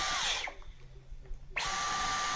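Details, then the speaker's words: Dyson V11 cordless vacuum after the red button fault was fixed and the cyclone cleaned, reassembled and tested: high, clean motor whine across speed levels, stopping and spinning back up with no rattle. It works fine. "Got the different levels there, different speeds. As you can hear, it seems to be working fine."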